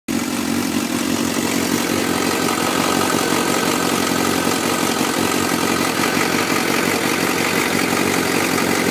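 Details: 2004 Suzuki GSX-R 600, cold start idle in Arizona: steady four-cylinder idle with light, fast, even metallic ticking; owner suspects cam chain tensioner needs replacing, unconfirmed.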